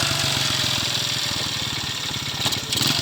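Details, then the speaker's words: Honda motorcycle after clutch adjustment with a 10 mm bolt and nut, running with clutch held in gear and not creeping; quick, even idle with steady firing pulses, no clutch drag noise, normal idle. "देखें अभी इन्होंने क्लच पकड़ा हुआ है, start bike है। ठीक है, नहीं चल रहा, जो ही हल्का सा क्लच छोड़ेंगे तो ये फिर चलेगा।"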